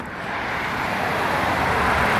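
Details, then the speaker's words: 2016 Toyota RAV4 XLE four-cylinder VVTi engine with 24,000 miles and a new battery: quick crank, then a smooth, quiet, even idle with no ticks, knocks or whine. "as you can hear, it's nice and quiet, like a little Toyota motor should be. It's that little VVTi."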